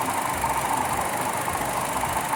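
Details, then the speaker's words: Buick Encore Ecotec 1.4L turbo after a valve cover replacement for a bad PCV valve, with the AC fan running: a smooth, steady idle and no more PCV whine or wheeze; normal. "Alright, car's running. The needle is idling pretty steady."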